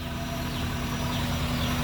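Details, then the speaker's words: Daihatsu Gran Max after valve clearance adjustment, idling. Smooth, even low idle hum with no valve ticking; before the adjustment the valves knocked loudly. "Murni suara putaran mesin saja kalau sekarang. Jadi nyaris tidak terdengar suara ee ketukan klepnya ya."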